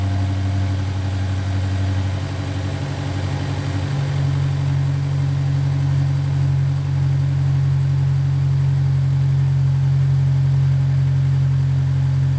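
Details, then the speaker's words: Honda S2000 idling just after the worn factory timing chain tensioner was replaced and oil changed: steady, smooth low drone with no ticking or rattling; tensioner noise gone, normal idle. "well i'd call that a success the noise is gone let me just rev it a little bit just to see if something comes up because you know it's idling right now it's not gonna make any noise really"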